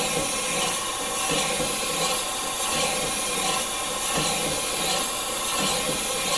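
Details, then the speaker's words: Morey vertical slotter cutting internal keyways in manganese bronze worm gears after moving the Kool Mist sprayer back: steady rhythmic hiss and swish, about forty strokes a minute, smooth and even; clean cut with cutting fluid reaching the tool. "I will go back to cutting well that sounds much better like it's actually getting cutting fluid"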